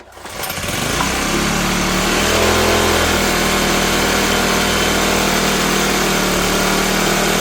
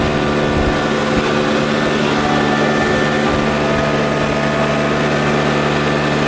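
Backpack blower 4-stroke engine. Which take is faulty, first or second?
first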